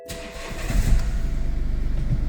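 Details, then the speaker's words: BMW 2 Series F45 that would not start or would die after seconds, now repaired; the engine control unit had been water-damaged: short crank, catches straight away and settles to an even, pulsing idle; it starts and runs normally. "Car is working. Voila. So, problem was there."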